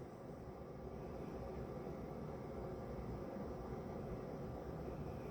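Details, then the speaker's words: Procolored P13 DTF printer running a normal-strength head cleaning cycle to clear a clogged white channel; low, even whirring pump hum with some gurgling as ink moves through the tubes; normal cleaning-cycle noise. "So, it's just going to do its thing here for a minute. makes a lot of noise. You'll hear some gurgling."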